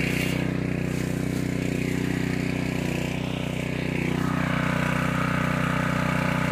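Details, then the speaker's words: Harbor Freight Predator 212 single-cylinder engine on a 2-inch water pump, a year of farm use, first start of the day. Steady, even drone with no misses or knocks while the pump primes and the fire hose fills. Normal. "it should be priming up, and we'll hear the sound of the engine change in just a minute. Just heard the engine change, and the water hose is filling up, or the fire hose rather."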